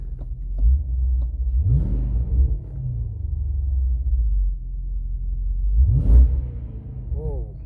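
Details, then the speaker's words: 2006–12 Dodge 5.7L V8, still on a 210 thermostat, after a BBK 85mm throttle body install. A deep, even idle rumble with quick throttle blips that return cleanly; the idle is the same as with the old part. Normal idle. "I followed the instructions to the letter of installing this BBK 85 millimeter throttle body and my car is now idling the same way like it did with the old part"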